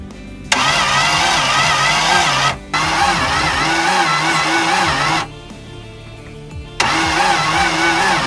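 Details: Long-sitting barn-find Toyota FJ60 Land Cruiser on a new battery: three long cranking bursts with a fast, even churning beat, about four a second, but it never fires; owners feared a dead motor or head gasket.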